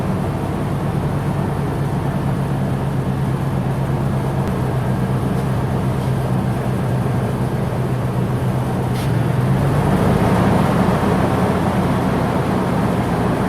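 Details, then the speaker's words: Ford 10th-generation F-150 first start with newly installed engine, run through break-in cycle to operating temperature with good oil pressure: even, steady low hum with no knocks, ticks or misses; healthy running. "But major thing is the motor. It run great. Oil pressure is great. It got up to temperature."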